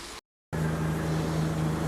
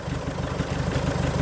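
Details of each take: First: Diesel car idling: steady, even idle with a constant low hum and no misses or knocks, running clean. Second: Diesel car at tick over, warming up with the DPF removed for cleaning, exhaust open at the downpipe only: loud, raw, rapid low chuffing at steady idle with no muffling.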